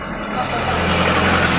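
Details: 2016 Skoda Octavia TSI with long-cranking and no-pickup problem (P2294 fuel pressure regulator), after repair: short crank then engine catches straight away and settles into a steady, even idle hum; normal start.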